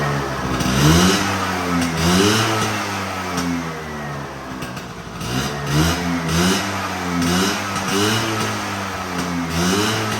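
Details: Vespa V9B1T 100 two-stroke scooter after a carburetor rebuild: repeated throttle blips with a crisp, buzzy note rising and falling cleanly; runs healthy and responsive.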